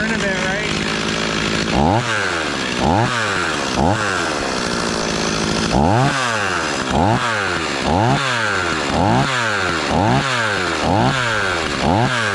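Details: Stihl 026 two-stroke chainsaw just after rebuild, first start and break-in, running thick fuel: repeated clean revs about once a second with steady idle between; pulls freely, sounds healthy.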